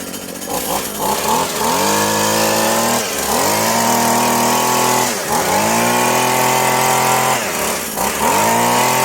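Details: Husqvarna/McCulloch Tivoli 65 two-stroke hedge trimmer, idle 15 years, repaired by replacing perished fuel lines; crisp buzz revving up and dropping back cleanly several times, pulling evenly with no misfire or rattle, running normally.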